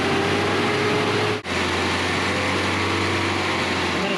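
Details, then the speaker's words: 1985 Nissan 720 truck, freshly rebuilt engine at first start after over a month, oil pressure confirmed: steady, even idle with no ticking or knocking, sounding healthy. "holy buckets does that sound good"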